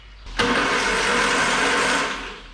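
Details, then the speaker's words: 948cc Morris Minor A-series engine with gearbox, unknown history, no oil in engine or gearbox, spun on the starter: harsh rattling whir about 1.5 seconds, noise from low down; bottom end or gearbox suspected, not confirmed. "Oh, this is probably making noises there, but it sounded like noises coming from down low, but could be bottom end stuff, could just be that gearbox."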